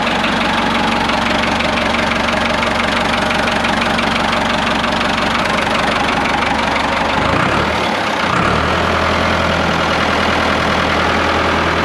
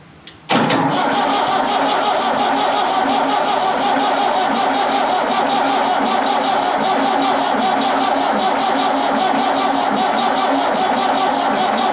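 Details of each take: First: Ford 5600 tractor diesel at idle just after the injection pump was removed and reinstalled with timing set back to its mark. Loud, steady clatter with an even rhythm and no misses, sounding as before. Timing is right and there are no leaks. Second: Ford 5600 tractor diesel after injection pump removal and reinstall, timing mark set at zero: steady rhythmic cranking over twelve seconds without firing, no smoke; air in the fuel system, injector lines cracked to bleed it.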